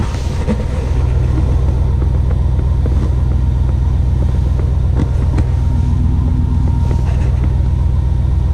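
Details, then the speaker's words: 1980 Chevrolet C10 with 5.3 LS swap, last start before cam and valve-spring swap, warming up in snow: deep, even V8 exhaust burble at steady idle, no misses, knocks or ticks; normal idle, baseline before-sample. "So we'll see how it goes and start it up. Still starts. Good sign."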